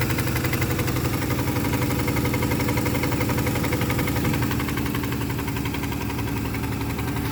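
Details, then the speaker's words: Big-block OBS street truck on fire-up: lumpy idle with a dead cylinder and a light tick about four per second over the rumble. A couple of stuck lifters are suspected. "Yeah, it sounds like a couple lifters are stuck. But hey, it does fire up."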